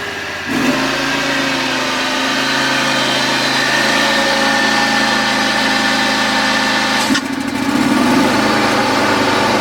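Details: John Deere X540 twin-cylinder mower, after replacing two failed ignition coils that caused no spark: steady, even idle without misses or knocks; ignition firing cleanly, normal idle.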